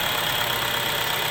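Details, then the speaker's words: 2011-2016 Chevy Cruze after replacing the valve cover PCV diaphragm, which had been sucking air and setting a check engine light; even idle with a light steady hiss, no sucking, hunting or misfire, runs smoothly. "Okay, so I don't hear it sucking in air, and it's not sucking my thumb into it, so that's definitely a plus."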